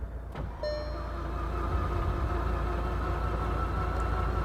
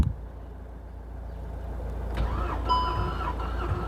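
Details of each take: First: VW Golf GTI Mk6 engine under rebuild, compression test cranking: engine spins fast and too freely, an even beat about four per second with no labouring pulse; cylinder one reads zero compression. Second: VW Golf GTI Mk6 engine during rebuild, compression test on cylinder 2 while cranking: even, steady cranking beats about three and a half per second, no stumbles; about 175 psi, normal compression (cylinder 1 read zero).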